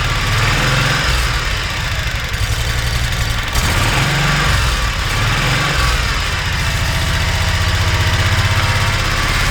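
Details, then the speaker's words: Kawasaki Mule 3010 after fuel pump replacement (original OEM pump had failed): steady, even engine drone with no misses, pump heard working, confirmed fix before test drive. "[Music] i think it here i hear it working here all right like that every so often so now it's time for me to go take it for a ride"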